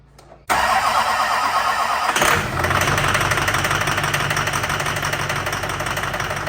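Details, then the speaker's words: Duramax diesel with two CP3 pumps and a powered dual fueler controller, just started after a belt install. Rough idle with a loud, uneven knock about three times per second; suspected from one of the CP3s or an injector. "man it sounds horrible that loud knocking noise is coming from one of the two CP3s or one of the injectors"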